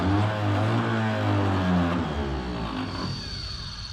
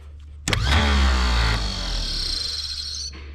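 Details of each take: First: 1934 Chevrolet farm truck sitting for decades, first start attempt: starter whirs freely, winds down, spins up again without turning engine; owner suspects mouse urine rusted the Bendix so it won't engage the flywheel ring gear; starter Bendix not engaging. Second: 90-year-old starter from 1934 Chevrolet farm truck, removed and bench-run; sharp engagement clunk, strong steady whir, spins down cleanly, drive stays out with no engine to kick it back; normal starter free-run.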